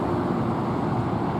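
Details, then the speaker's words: 1986 BMW 325e E30 sedan, sat 7 years, non-starter fixed by replacing a wrong main relay: steady even running, no misfires, knocks or stumbles; engine runs smoothly. "It runs, guys, it runs. Here it is, guys, it runs. I made it run in 5 minutes."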